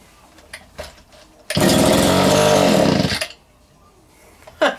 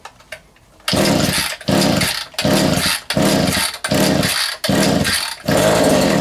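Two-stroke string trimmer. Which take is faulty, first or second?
second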